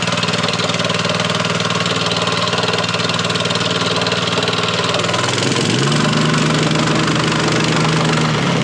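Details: Honda GX160 plate compactor that sat outside for five years, running after refuelling: the single-cylinder thumping settles into an even, steady beat of about three firings a second with a slight pitch change, running normally.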